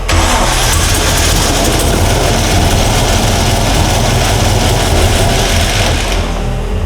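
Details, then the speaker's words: GQ Patrol with twin-turbo LS swap, first start after build, oil pressure present after a big backfire: rough uneven idle with loud metallic rattle, engine stalling; rattle at idle, cause unknown. "Okay. It's very rattly. It's very rattly and it's stalling."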